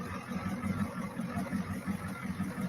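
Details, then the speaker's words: Diesel engine (IDI), before running it over an hour: low, even knocking idle at about four to five beats a second, slightly uneven, still smoking but getting better; first time idling better. "That's when I first got it idling better, and then after"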